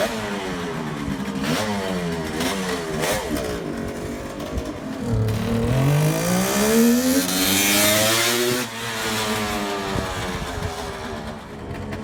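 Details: 1971 Kawasaki H1 500 two-stroke triple after fixing a spark plug cap and a loose distributor cap wire: crisp rasp rising and falling cleanly, all three cylinders firing properly.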